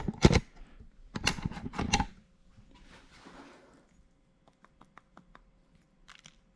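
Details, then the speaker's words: BMW E46 3 Series wagon, about 195,000 miles: steering coupler removed and rocked by hand gives sharp irregular clacks; rivet on the steering-shaft input side is completely loose, causing steering play. "you can actually see this rivet right here it's completely loose and the whole coupler i'm sure you guys can hear it it's actually knocking back and forth"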